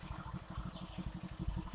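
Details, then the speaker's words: 2022 Bajaj Pulsar 150 BS6 that cut out after 1–2 km: rapid even low thumping while cranking on the self-starter, never fires; fuel pump heard running but no petrol delivered. "Self போடும்போது எந்த ஒரு பெட்ரோலுமே வரல ஆனா fuel pump sound கேக்குது"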